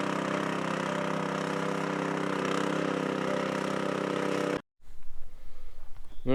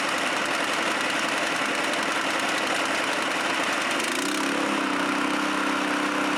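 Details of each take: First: Chinese walk-behind track dumper bought broken at auction, first drive-off: small petrol engine runs steadily under drive load, then cuts off; drive works but skid-steer steering clutches do not work at all, cause not yet found. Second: Chinese walk-behind track dumper bought broken at auction, untouched, started within two cranks: small single-cylinder engine settles into an even, steady idle with a brief held higher note midway, then shuts off cleanly; running fine.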